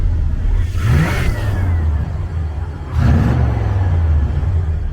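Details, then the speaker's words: International 1210 truck with a Holley 2300 Super Sniper EFI, coolant at 134: two sharp throttle blips. Revs climb quickly and fall back cleanly to a steady idle. Crisp, healthy throttle response. "it's just it's freaking legit man the throttle response to see coolant Temps at 134 the throttle response"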